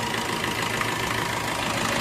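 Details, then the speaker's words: Maruti Ertiga petrol engine idling after bad belt-drive bearings and the belt were replaced: steady even hum, no squeal or chirp, noise gone. "ਆਹ ਤੁਸੀਂ ਦੇਖ ਸਕਦੇ ਜਮੀ ਸਾਲੈਂਟ ਹੋ ਗਿਆ ਆਪਾਂ ਨੇ ਇਹਦੇ ਵਚ ਨਵੀਂ ਬੈਲਟ ਵੀ ਪਾਈ ਹ ਠੀਕ ਹ ਨਾ ਤੇ ਆ ਤੁਸੀਂ ਦੇਖ ਸਕਦੇ ਹੋ ਹੁਣ ਕੋਈ ਆਵਾਜ਼ ਨਹੀਂ ਰਗੀ"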